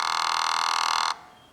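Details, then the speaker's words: 5.3L LS truck engine on MegaSquirt 2, stepper idle air control valve commanded to home position without holding current: steady high-pitched electric buzz about a second, then cuts off as the valve bottoms out against its end stop. "if i go back to home it should make that sound just motion and then a little bit of the bottomed out sound where it buzzes right at the end there if i push home position again it should just be all buzzing because it can't move any further"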